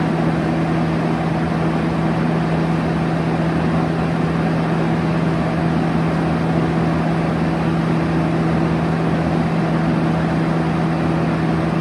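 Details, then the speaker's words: 1971 Kel-Aire model 7000 3-speed 20-inch box fan on high: steady low hum and even rush of airflow after a slight startup sound; a little shake noted, but no clear rattle; air movement good. "It's got a little bit of a shake. But in terms of air movement, it's actually quite good."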